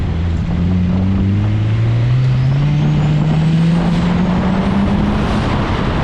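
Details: Turbocharged Honda CRX with B-series head, tuned for about 25 PSI, on a hot autocross lap: engine note climbs cleanly with throttle and a thin whistle rises over it, no knock or misfire; healthy turbo spooling under load.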